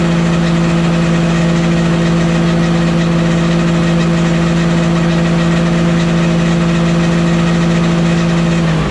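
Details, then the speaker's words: Walker mower deck after fitting new OEM blades and hubs and a used rebuilt gearbox: steady metallic rotational hum with a low drone, not a ting; noise unchanged, source not found. "And the noise I'm hearing, I explained it as a ting noise, like ting, ting, ting. That's not what it's doing. I guess I explained it wrong. It's like a rotational noise, but it's like metal sounding."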